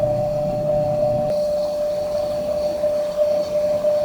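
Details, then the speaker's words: Edelkrone Slider 1 v2 camera slider with the carriage travelling left at 100% speed before teardown: a steady, fairly loud mid-pitched hum with a grinding roughness, louder than it should be; owner suspects dry, uncleaned parts needing silicone grease. "actually what I don't like is that kind of grinding noise um you know my head it needed a little bit of cleaning"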